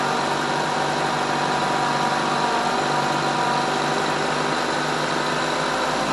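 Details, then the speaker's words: 2012 Mazda 3 sedan after reconnecting the intake runner actuators and sensors: smooth, even idle with a steady hum and no knocks, ticks or misses; the VSV solenoid was later found getting very hot. "got so everything sounds good here going stop the video here and look at the code haven't heard anything strange but that's a good sign"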